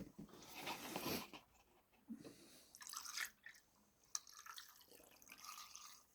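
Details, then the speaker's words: BMW E46 330d after thermostat replacement, refilling the cooling system: irregular trickling and dripping of coolant, then quieter gurgles as the flow settles and the radiator is full; any remaining air to bleed out through the cap with engine running. "entends de toute façon que le radiateur il s'est rempli. Voilà, là on n'est pas trop mal."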